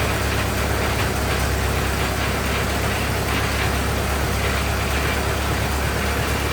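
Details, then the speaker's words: 1927 Ford TT, new buzz coils, up on a jack, throttle up: four-cylinder chuffing at a fairly even, loose idle with no knock or misfire; runs really nice, possibly running out of fuel. "that runs really nice no complaints there"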